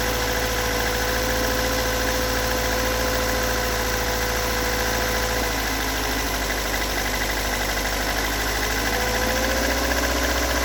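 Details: Toyota AE86 with stock bigport blue-top 4AGE, about 195,000 km, regularly maintained: cold idle runs unevenly with loose, irregular knock about twice a second; recorded from cold to warm at exhaust, cabin and engine bay; cause not located.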